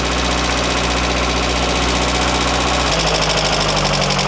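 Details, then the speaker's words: Pierburg 2E2 carburettor engine on fast idle (set high for hard starting); brake cleaner sprayed at carb flange makes idle step down and change note, then slowly recover as it clears: vacuum leak at carburettor flange. "As the brake cleaner is finding its way into wherever that's pulling air in, the edges keep stepping. And it will slowly speed back up again as that clears."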